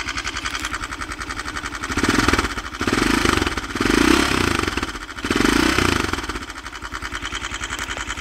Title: 169fmm стук в двигателе после прихвата